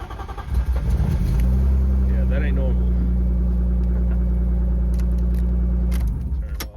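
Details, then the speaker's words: Drift car engine, owner suspects blown head gasket and plans engine swap: cranks and catches, then uneven lumpy idle with wavering low drone; runs rough, cause not confirmed. "Let's do one more. One more. Yeah, that sounds bad."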